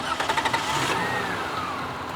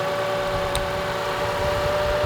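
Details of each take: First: Lexus engine idling just after alternator replacement with a remanufactured unit; smooth, even idle with no hum or whine from the front, the earlier alternator noise is gone, charging about 14.0–14.1 volts. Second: Lexus idling, alternator still charging: steady thin whine over the engine, heard with electronic stethoscope on the alternator, from worn alternator bearings; alternator replaced.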